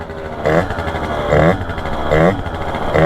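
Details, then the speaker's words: Honda Dio two-stroke scooter with a 28 carburettor: revs blip about once a second then sag without clearing, running worse and puking out fuel; rich running. "for now the 28. uh runs worse and it's puking out fuel"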